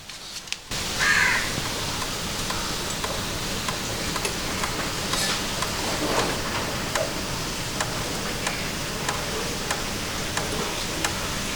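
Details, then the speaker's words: Motorcycle just switched off after a ride, cooling fan having run: faint irregular metallic ticks, quick then slowing, from the catalytic converter and silencer as the hot metal contracts while cooling; normal. "It is a sound of metal contracting. The metal is again getting smaller now because it is cooling down now."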